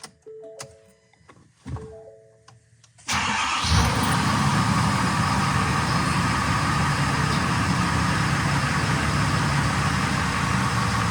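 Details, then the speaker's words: 2020 Ford F450 cab chassis 6.7L diesel, first start after changing both fuel filters and priming the fuel water separator: quick crank and catch, then steady even idle with no stumbling; starts and runs cleanly. "all right I think I'm good so I went ahead and opened up the garage door and the truck is running"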